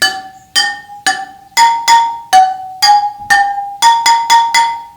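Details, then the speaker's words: BMW GS/A spoked wheel, spokes tapped in turn: some ring at a noticeably higher pitch than their neighbours, marking an over-tensioned spoke that needs adjusting. "Den där. Så den här ekern bär för mycket spänning."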